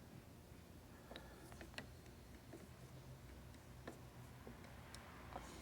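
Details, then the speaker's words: Worn starter from a 1962 Ford C750 cabover (Y-block/FE type) on the bench during rebuild: sharp, irregular dry clicks as the bendix drive is turned by hand. The bendix ratchets instead of locking. "as I tried to do so it just ratchets on the ratchet can you see it and hear it just ratchets right there"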